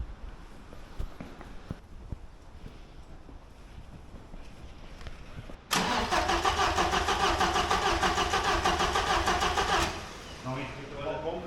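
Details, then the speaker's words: 1990s Opel/Vauxhall that sat untouched after purchase: after a rusty fuel pump relay was changed, the pump is heard working, then a steady, rapid starter churn for about four seconds nearly catches but never fires; cause unconfirmed. "She's pumping there now, anyway. Oh, You can hear it. nearly in. It's definitely a good sign."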